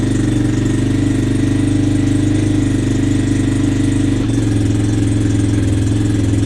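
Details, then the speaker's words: 1986 Yamaha Moto4 YFM200DX single-cylinder ATV started cold at 10°F, uneven idle with the beat sagging and pitch dropping; stumbling, and the owner suspects bad gas before draining the fuel. "yeah that's stumbling going on really think that's bad gas"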